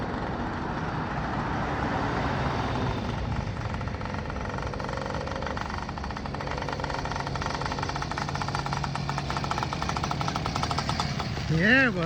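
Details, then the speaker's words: Freshly built 80cc two-stroke bicycle engine with banana pipe expansion chamber on first start; rapid buzzy popping at steady speed, no misses or heavy knocks; running fine. "What do you think, man? That ran good, man. That's crazy."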